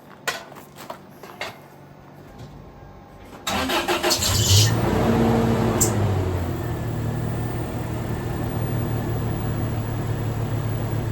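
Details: 2002 Toyota Tacoma with 270,000 miles, after coil pack replacement and vacuum line fixes; a short crank catches quickly and settles into an even, steady idle with no misfire or knock. Normal start and idle.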